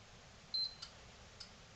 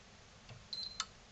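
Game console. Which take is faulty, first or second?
first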